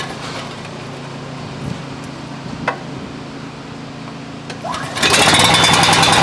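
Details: Coleman Powermate 6250 generator with a Subaru engine, rated 3600 rpm, with a temporary fuel tank and previously reading 156 V at 68 Hz: a quiet, low hum, then the engine catches and races to a loud, high-pitched run, well above governed speed. Governor adjustment is in progress.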